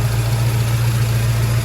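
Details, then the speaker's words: 1972 Ford Mustang convertible with tubular headers and EFI, idling: steady, even low idle, no exhaust leak felt at the headers or collectors; the tick heard is the normal fuel injector tick; normal idle. "Well, I think what William's been hearing is his injectors. So we're good there."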